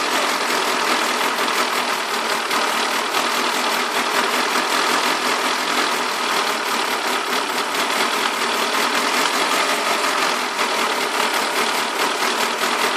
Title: Rough Idle on Alfa 156